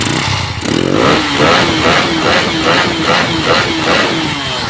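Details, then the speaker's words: Honda Viar motorcycle, aftermarket camshaft fitted, after repair: the single-cylinder engine revs up and down with a harsh rapid rattle ("asak") over the exhaust; the noise is absent with the stock cam. "Nah, ini yang Lemono bilang asak, Mas. Nah, ini ada suaranya asak-asak. Nah, ini kemarin juga Lemono videokan dan Lemono kirim ke jenengan bahwa ini kalau pakai noken standar tidak ngasak."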